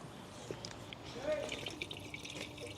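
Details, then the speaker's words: Citroen Berlingo being topped up with coolant: liquid splashes and trickles steadily underneath as it is poured in, running straight back out through a leak. "It's not good when you're filling something up and you can actually hear it coming straight out. This is like my High Peak Auto's expenses, you know this. Pour a lot in, but it just comes straight back out."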